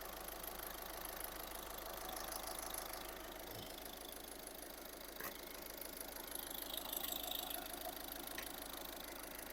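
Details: 2013 VW Caddy diesel with low fuel pressure, idling about 10 minutes after fuel filter replacement, no leaks found: quiet, even idle clatter, steady with no hunting or misfire; normal idle after the service.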